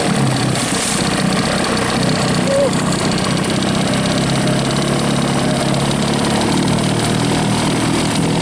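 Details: Rebuilt 1963/64 Evinrude 40hp two-stroke outboard, throttled down slow, likes the choke: fairly steady buzzing run without stumbling or surging; runs but can't be killed, kill switch unresolved.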